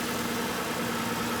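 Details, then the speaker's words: Car just jump-started from completely dead battery with a JumpSmart flashlight jump starter pack, left running: steady, even idle with smooth low hum, no knocks or misses; normal idle. "That thing worked great. All right, let it keep running for a minute. That's cool."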